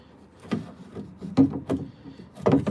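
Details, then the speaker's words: 1998–2003 Dodge Durango after installing a new door lock actuator: quick, crisp clunks in short bursts as the lock cycles, no squeal or grinding, replacing old squealing units; normal operation. "yeah, this thing works."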